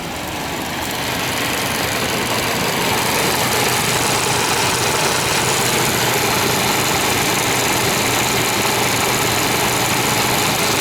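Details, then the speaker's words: 1998 Chevy Vortec V8 first running after 12-15 years stored, Passlock reset; cylinders filled with oil, little exhaust smoke, nearly out of fuel; loud idle with uneven, slightly lumpy beat about three pulses a second; rough idle after long storage. "She's running after 15 years. 14, 12 years. Got a little smoke coming out the exhaust. I fill the cylinders with uh with oil. She's running"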